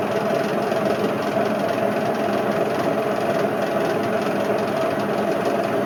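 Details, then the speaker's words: Indesit IWC71453 UKN 7 kg washing machine, retest spin after split belt replaced: loud even roar with heavy rumbling and thrashing, drum visibly moving wildly; worst drum bearing failure seen, bearings completely worn. "I've honest to God never had a bearing failure as bad as this. This Indesit tops them all off."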